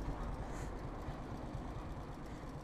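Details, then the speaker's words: Honda Supra X125 motorcycle running after a camshaft replacement: a busy, slightly rough mechanical clatter over a low rumble, which the owner attributes to the new camshaft; noisy engine. "suaranya agak berisik ya karena udah ganti noken as sih suaranya jadi kayak gini"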